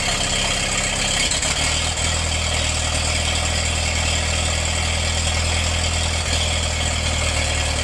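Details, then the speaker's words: Massey-Harris 44 tractor, sat 30 years and stuck when acquired, stored 10 more, after freeing stuck intake valve and refitting a misassembled rocker part, replaced points: settles into steady, even idle with low deep hum, no knocking or tapping; normal running. "I guess that's not too awful bad for a tractor that sat for 30 years before I got it. The engine was stuck when I got it."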